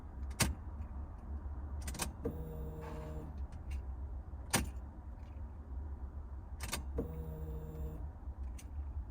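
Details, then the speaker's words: Alfa GTV with rebuilt fuel pump assembly after motorway power loss, priming: two short buzzing bursts about five seconds apart over a low rumble, possibly fuel returning; priming normally. "oh that's really quiet wow i can hardly hear that we'll do a few primes even get some fuel into the system really quiet that is gosh sounds good um"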